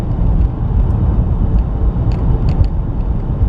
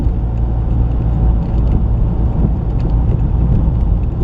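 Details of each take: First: 2019 Chevy Trax on a test drive over potholes after tightening a loose front brake caliper that caused a front clunk: only steady road rumble and light ticks are heard. There are no clunks. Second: 2019 Chevy Trax driven over bumps: heavy road rumble with a few sharp knocks from the front end, apparently the right passenger side, traced to loose brake caliper bracket bolts left by the dealer.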